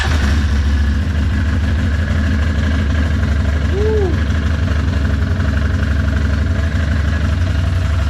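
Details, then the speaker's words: Can-Am ATV started after installing radiator relocation and Wild Boar snorkel kits plus service; maintenance-required light still on needing reset; low steady idle with even beat, no knocks, ticks or misfires, normal idle. "sounds good. Everything seems good. I approve."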